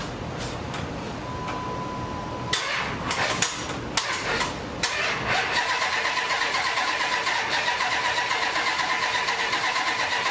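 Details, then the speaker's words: Hemi Durango chassis under a 1954 International pickup, abandoned forty years: starter churns with uneven, laboring rhythm, engine never catches; crank no start, owner suspects dead battery, bad connections or something unplugged; fuel pump heard. "Dead battery. Maybe bad connections. Not enough amps."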